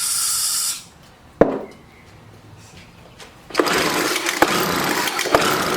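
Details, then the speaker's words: Scrapped Craftsman 4-stroke trimmer/blower, fuel line found disconnected, sprayed with starting fluid: a short rough burst dies, then a second ragged run with sharp pops. It fires but has no fuel supply. "at least we know it's is firing but we're gonna have to pop this loose here and uh put some fuel out of it"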